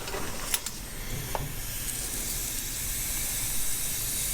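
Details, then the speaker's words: Dodge M37 Power Wagon brake banjo fitting bench-tested in a vise at about 20 psi shop air: steady airy hiss, still leaking past reused copper washers; to be cleaned, Loctited and reset. "Okay, we're still leaking there, so we're definitely going to have to tell if there's any problems. I'm using about 20 psi, so not too much."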